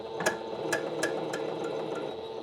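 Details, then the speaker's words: Singer sewing machine after disengaging the bobbin winder. Sharp metallic "tink" about three times a second over a soft motor hum: the needle is striking something near the hook because the timing is off, so the machine is not test-sewn. "Ooh, now we have something. That needle's definitely hitting something. I'm hearing a tink, tink, tink."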